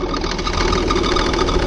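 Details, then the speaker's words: 2000 Saturn L300, 3.0 L V6, after a timing belt job: quick, steady ticking knock over idle returns once the accessory belt is refitted; owner suspects power steering pump or belt slipping on the crankshaft pulley, not confirmed. "right put the accessory belt back on and we got the noise back I think it's coming from the power steering pump"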